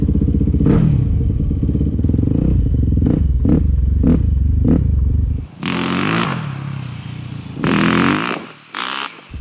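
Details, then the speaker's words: 2008 Yamaha WR250F after carburetor rebuild, needle back in 6th clip: the single-cylinder revs cleanly and snaps up on each blip without bogging or jerkiness, with wind noise while riding; throttle response is healthy. "Much better throttle response and power. No jerkiness when you're on and off the throttle. I mean, it has really good snap, but it's not quite as jerky."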